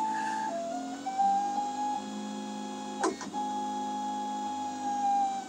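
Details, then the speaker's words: Makerbot Replicator with intermittent carriage fault, printing on unheated bed: steady loud, buzzy whining stepper tones shifting pitch as carriage moves; noise from old full-step drivers without microstepping. "yeah all that noise man that's what it sounded like when I first started out"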